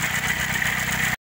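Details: Chevrolet Celta engine with a new, worrying creaking noise from the engine area: fast, even idle with a gritty high-pitched rasp riding on top, steady throughout.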